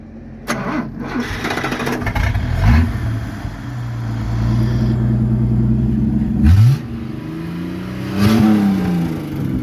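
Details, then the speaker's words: Caravan six-cylinder petrol engine during engine service, blipped hard: brief knock on the sharp rev that then settles; a hydraulic lifter that had not yet lubricated, resolved on its own. "a gente estava vendo ali o motor da Caravan 6 cilindros e deu uma batidinha na hora que ele deu uma acelerada forte ali de plantão o que que acontece hidráulico ali que não lubrificou"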